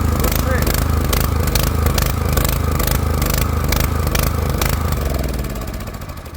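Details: Four-stroke petrol generator that runs badly and stalls: a rough, uneven beat broken by sharp irregular exhaust pops before it dies. Valves or late ignition are suspected.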